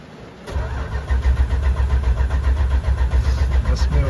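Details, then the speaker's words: 1980 Chrysler Cordoba LS on a trailer, parked at an angle with little gas, owner starting it to circulate antifreeze: starter cranks steadily at about four pulses a second without catching; owner says it's flooded, cranking without starting. "that's the thing about when you got a card ain't got the damn gas in it and it's sitting in an angle like it is on this trailer"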